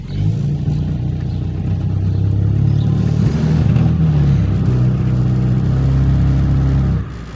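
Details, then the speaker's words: Ford Focus on a test drive after AC compressor and cooling system work, dashboard full of warning lights: deep, heavy drone fills the cabin while accelerating, engine vibration transmitted into the cabin through bad engine mounts. "that noise is all the vibrations coming into the cabin because of the bad engine mounts"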